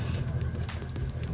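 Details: 2012 Toyota Land Cruiser after replacing the blown 30A main/starter fuse in the engine-bay fuse box, restarted with brake pressed: engine catches and settles into a steady, deep, even rumble with no grinding or clicking; no-start fixed.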